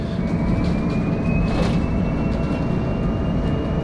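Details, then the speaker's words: Solaris Urbino 12 Electric city bus driving a steep route through narrow Oslo streets: a faint high whine climbs steadily with road speed above the rolling rumble. This is gear noise from the ZF electric drive axle. "Du hører det støyer litt fra ZF-akselen."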